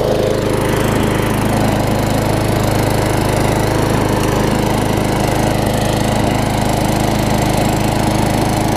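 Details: Tecumseh-powered Craftsman self-propelled mower, running after fixing a wet air filter: even, steady single-cylinder drone at constant speed with no sputter or surging; normal running.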